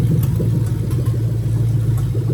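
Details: 2000-2003 Lexus LS430 3UZ-FE VVT-i V8 idling on a new engine harness test, injectors pulled one by one. A low, uneven, stumbling beat with a periodic missing pulse marks the misfire from an unplugged injector.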